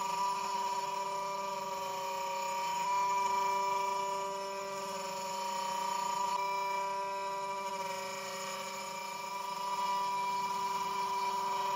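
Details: Genmitsu 3030 PROVer Max desktop CNC with its stock 300W spindle cutting 20mm aluminum pockets, 2.5mm deep at 0.3175mm step-down: steady high spindle tone with faint uneven pulsing. The underpowered spindle chatters, leaving rough edges and a 20.7mm result.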